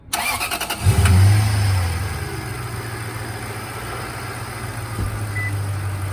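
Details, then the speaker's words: Lexus LS430 after PCV valve replacement: cranks, catches, settles to steady even low idle, no blow-by puffing; normal idle. "doesn't doesn't seem to be any blow-by well i mean that concludes it"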